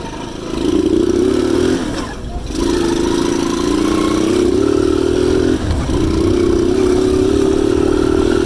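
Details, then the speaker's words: Delta Alpha moped small engine after cylinder replacement: it had stalled, choked, misfired, lacked power, would not idle, smoked and made a ringing knock. Now it revs and settles into a smooth, even buzz with no knock or smoke. Normal running. "І саме головне, що дзвін і стукіт пропав і дим тоже немає."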